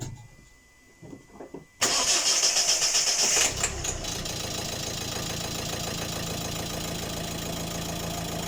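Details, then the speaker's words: Volvo diesel, after replacing all four injectors with used ones due to loud clatter: cranks, catches within a second and settles into a steady even idle without clatter or hunting; much better, fault confirmed as injectors. "c'est beaucoup mieux à plus clairement là donc c'était bien aux injecteurs"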